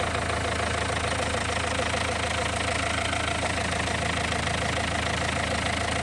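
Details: Renault 1.5 dCi diesel at steady idle around 1 min 45 s into leak-off test, injector no. 4 refreshed with new Delphi valve and nozzle: smooth, even clatter, no misfire or knock; no. 4 best.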